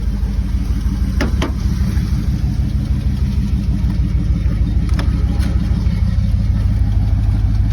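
Light, quick ticking, about two a second, sits over a steady idle; a tick at idle whose source isn't pinned down. Cause suspected, not confirmed.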